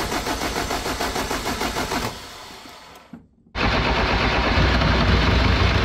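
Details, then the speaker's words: Jeep XJ 2.5 turbodiesel with newly fitted 11mm-plunger mechanical injection pump: steady fast even cranking, stop, then cranking again without catching; crank no-start, owner suspects the pump's 12 V stop solenoid cutting fuel. "So I can't get this thing started, and it's definitely a fuel problem, obviously."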